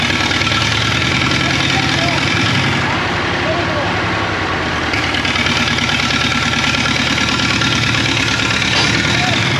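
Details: 1939 Caterpillar D4 (RD4 4G9986) diesel, first start after rebuild, pony-motor started, near a mile altitude: uneven, stumbling beat near 190 per minute with occasional skipped pulse; engine misses, fuel leaks still to fix.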